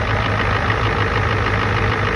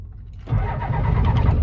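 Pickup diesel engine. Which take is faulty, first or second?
second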